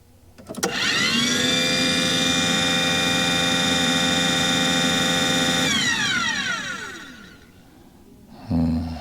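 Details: Aquahot 400D RV boiler: the burner fan motor whines up, holds a steady hum for about five seconds, then coasts down with no flame rumble or smoke. Owner suspects air in the fuel system is starving the nozzle and the CAD cell cuts it off. Fails to ignite.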